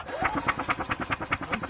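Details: Yamaha utility cart, diaphragm fuel pump working and spark present at the plug: steady rhythmic starter cranking at about eight pulses a second, but the engine never catches; crank no-start.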